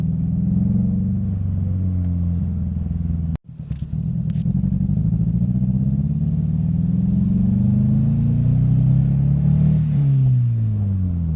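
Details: 2005 Scion xB, 135,000 miles, rough idle and power loss: uneven, lumpy beat stumbling about four times a second; cylinder 4 not firing due to a bad coil pack.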